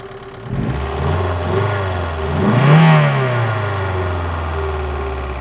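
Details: VAZ 2112 1.6 16-valve engine at idle with light knocking that rises with a short throttle blip; knock appeared after cylinder head gasket replacement, source unknown.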